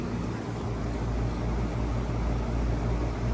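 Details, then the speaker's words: Lennox AC unit after capacitor check: compressor drawing about 13.35–13.47 A (locked rotor 23 at start, limit 104, rated 21.2), ECM fan about 0.85–0.88 A; steady low hum with even fan whoosh, normal operation. "okay so we got the compressor running 13.35 and we got the fan running 0.85"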